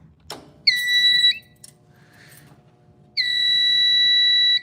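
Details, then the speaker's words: Fire alarm panel powered back up after a power cycle and capacitor discharge, battery not yet connected: two bursts of shrill steady electronic tone, about half a second and a second and a half; normal startup alarm. "Yeah, that's normal."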